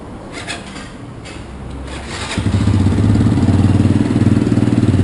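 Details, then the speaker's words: Motorcycle (Fly 135) after engine rebuild with new crankshaft and camshaft bearings: quiet cranking, then it catches and settles into a steady even idle with no more tec-tec tapping. "ele um redondo não tem mais aquele barulho tec tec tec"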